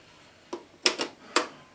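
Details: Diatone JR-911 boombox with new belts, radio working, pressing stop/play: a few sharp isolated clicks with no tape running; owner thinks the motor runs, but the cassette mechanism clicks without engaging.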